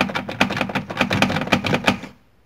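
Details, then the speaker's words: VW Gol G4: quick irregular plastic tapping for about two seconds when door is shaken, from a loose interior door trim panel with loose clips or screws. "para ver se o fogo de porta não tá solto tá que se ele tiver soltar aqui tá ele ele vai ficar esse barulho aqui"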